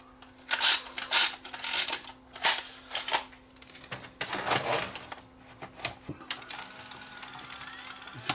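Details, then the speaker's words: Old Panasonic VCR playing a tape, picture shaking horizontally: sharp, irregular clicks and ticks over a faint steady hum, transport clicking fault; it also ate a tape; cause unknown. "hear the noise SS like a clicking sound"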